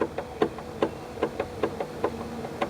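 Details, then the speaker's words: 1994 Chevy Corvette C4 pop-up headlight motor, nearly 20 years old: sharp plastic clicks about every quarter second as the stripped plastic gear slips and skips teeth, light sometimes not rising; gear to be replaced. "You hear that? The gear is just spinning. And sometimes the light doesn't go up. And when it goes back down, the gear is just spinning and stopped. So, what happens is the the plastic gear inside there gets stripped after use."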